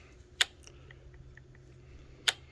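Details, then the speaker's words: Slash 4x4 Ultimate Edition, rear bulkhead off, spur gear turned by hand around its not perfectly round circumference: two crisp light clicks about two seconds apart; clean engagement with slight play, mesh correct. "But when you has that and it makes that sound, you pretty much know you're on the money."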